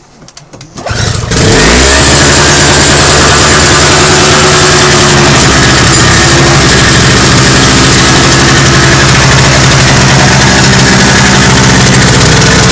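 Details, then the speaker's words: Toro CCR 2450 two-stroke snowblower after repair, on fresh 40:1 mix with stabilizer (spec 50:1); a few cranking tries, then catches and holds steady, even buzz with no stumbling or surging: fixed, normal running. "oh that's fixed it's done"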